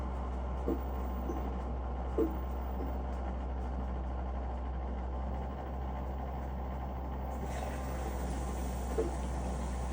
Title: LG Front Loading Washer [WM3900HBA] is making a strange clunking noise.